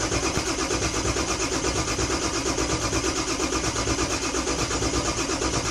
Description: 7.3 crank no start using torque app